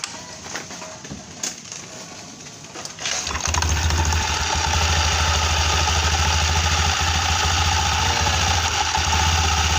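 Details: Honda Beat scooter, CVT previously making a rough noise like a failing clutch or roller housing, during CVT reassembly: quiet clatter, engine catches at about three seconds and settles into a smooth, even idle; runs healthy.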